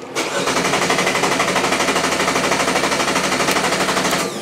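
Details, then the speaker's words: GM 1.4-liter GDI Chevy Cruze engine training bench, case study three (engine starts, runs a while, stalls, will not restart): steady rapid cranking for about four seconds that never catches, a crank-no-start from an instructor-set wiring fault. "no start all right this is what happened to the student"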